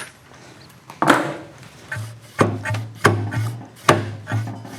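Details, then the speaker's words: Tiger Cub front fork, bars pulled up by hand in the workshop: hollow woody clunks, five or six in a few seconds, the fork bottom hitting as it tops out because the quarter-inch O-ring bumper is missing; fork top-out clunk. "So what that is, it's the bottom of the fork hitting."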